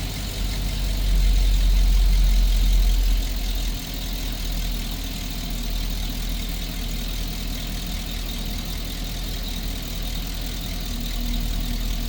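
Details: GMC engine after replacing the spark plug, ignition wire and catalytic converter for a cylinder 6 misfire and P0420 code: deep, steady idle with an even beat and no skips or stumbles after an early louder moment; healthy.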